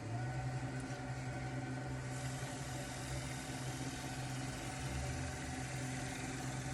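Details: Wood lathe turning a small elm bowl, about 14 cm diameter, spun up to about 800 rpm during oiling: steady low hum rising slightly, then even and smooth with no knocks or rubbing; running normally.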